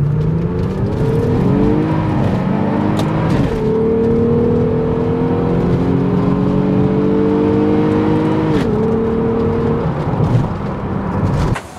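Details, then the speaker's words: Supercharged VR6 Volkswagen Corrado after tightening both belt tensioner bolts: engine revs cleanly toward the rpm limit and back with no belt squeal, and belt tension and boost are held. "we have no more belt squeak which is great so i can actually drive this to the full rpm limit without any squeaky belt and without losing belt tension and without losing any boost"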